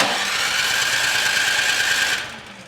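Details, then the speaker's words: Craftsman Select 26 snow blower (model 31AM6C2FB93, engine 675-WUB) after a fuel flush, cranked on the electric starter: even whir for about two seconds with no catch; a clogged carburetor is starving the engine, so the carburetor comes off for cleaning. "try with choke on okay at this point this does not run by flushing the system so we're going to go ahead and take the carburetor off and clean it out"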